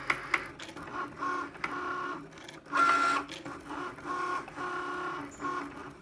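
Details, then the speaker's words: New Cricut Maker on first use, cutting a card: short motor bursts with sharp knocks as the carriage moves back and forth; cause unclear. "I'm going to load my mat that's the noise so it continues to make this noise throughout the video that I'm making for you"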